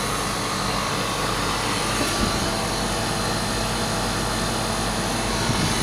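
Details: Static refrigerated trailer condensing unit that wasn't cooling (compressor breaker tripped, wrong B-type fitted). After cleaning the condenser, replacing the out-of-spec run capacitor and oiling the fan motor, a loud, even fan roar with no knocks or squeals; running normally.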